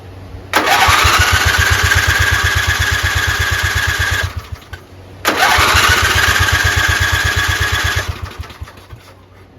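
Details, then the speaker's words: 11 hp Briggs & Stratton flathead on a lawn tractor, cranked on a weak computer-backup battery with the magneto disconnected: steady rapid chuffing in two bursts without firing. The starter lacks power to get past compression; a jumper pack is needed. "so it has no cranking power but it does get going once this starts but it doesn't have enough power to get it past the compression scoll"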